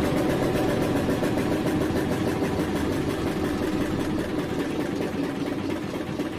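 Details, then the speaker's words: Eicher single-cylinder diesel engine that would not start because it is worn ("engine back") and not making compression; running again after oil was poured into the air intake to reach the piston, steady even thump. "Engine क्यों नहीं start हो रहा था, इसका main वजह है कि engine back है, मतलब कि इंजन कंप्रेसर नहीं बना रहा है, इसलिए स्टार्ट नहीं हो रहा था।"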